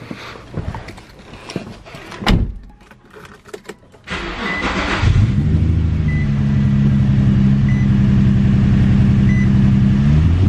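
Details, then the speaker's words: Infiniti G35 (350Z-type V6) with random stumble, mostly low rpm at medium/high throttle, misfire codes P0300-P0306; started from inside, uneven idle beat showing a miss, later given new coils and spark plugs. "so let me get in here and start it up first and so you can hear the miss um and then we'll go from there"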